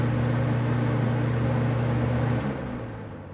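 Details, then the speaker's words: Robeson box fan on high speed, after its medium-speed rattle disappears: steady, even whir with low hum, no wobble, knock or rattle; fan stays put and sounds well balanced. "So it seems to be in balance. And it's not like these modern fans today, these Lascos that just move all across the table."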